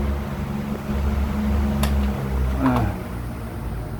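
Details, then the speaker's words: Regency electric fan that was totally dead, after repairing a broken winding-to-fuse connection (fuse itself was fine). Running again on speeds 1 to 3, very strong at top; steady low hum and even whir, no rattle or scraping; normal running. "Oke, pemirsa bisa lihat ya, sekarang di kipasnya sudah nyala kembali. Dan itu nomor 1. Nomor 2, nomor 3, kencang sekali."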